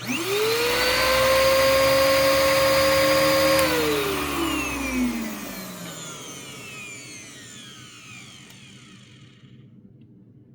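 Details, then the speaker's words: Bissell PowerClean OnePass (35831) vacuum motor with a clogged bin fitted: it winds up to a strained, muffled whine, choked for air rather than off balance. With the bin removed it sounds fine. "well it doesn't sound like the motor's off balance it just sounds like it's choking"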